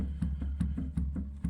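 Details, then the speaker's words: Creworks 8x16 lathe carriage before adjustment: sharp knocks about every third of a second as the carriage is rocked by hand. The three gib screws underneath are loose, one completely, letting the carriage clunk with play. "all right so this is before adjustment you can hear all that play"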